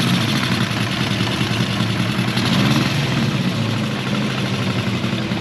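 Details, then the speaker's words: Honda CB400F with new K&N pod filters: slow, lumpy idle with a low burble that sounds ready to stall. Idle speed too low and needs raising. "Sounds good. Idle is just too low."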